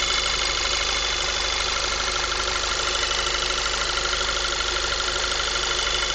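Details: 2010 VW MKV 2.0 TSI, about 1000 miles, APR stage I and Neuspeed intake, warm after driving: thin constant high whine over steady idle; owner suspects failing water pump, not confirmed.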